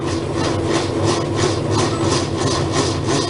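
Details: Whirlpool washer transmission during spin: harsh rasping scrape pulsing about three times a second; worn plastic cams fail to lift the pinion enough, causing the rubbing noise.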